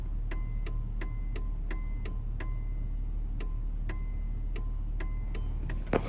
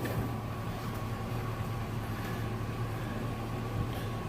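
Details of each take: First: Truck with the engine idling and blinkers off: sharp relay-like clicks about three per second come at random, a phantom turn-signal click that returned after the multi-switch was fixed. Owner suspects dirty electrical connections, else the multi-switch; unconfirmed. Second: Truck with an annoying clicking from the multi-switch (which also carries cruise control), after its contacts were cleaned and reassembled: the engine runs with a steady, even hum and no clicking.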